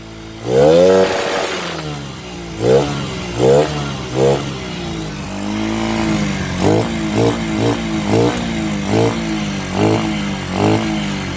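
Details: Honda Sonic 125 that would not start despite a new carburettor: fuel line replaced and fuel filter added, now it starts, cover left off to watch for flooding. Repeated throttle blips rise and fall cleanly back to steady idle; normal running.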